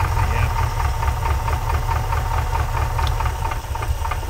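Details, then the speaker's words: 1979 Chevy Nova with LS swap, just started: lumpy, uneven idle with irregular thuds and missing beats; whole bank not firing, V8 running on one bank. "I just had it fired up it's not running I don't think this whole bank is firing anything"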